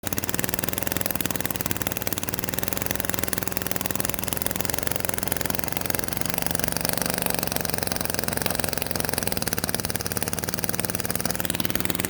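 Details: Lawnmower engine that sat at least five years, carburetor replaced, fresh oil and fuel: choppy, uneven idle with a clattery edge that never settles; rough idle, cause not evident.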